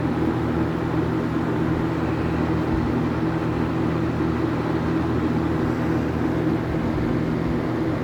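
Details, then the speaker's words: Late-1970s Kmart/Lakewood K-223 20-inch box fan with a McMillan motor, ex-shop use, running on high: steady even hum and a strong airy rush with no scraping. It runs really nicely and blows a lot of air. "it runs really nice s blows a lot of [Music] [Applause] air"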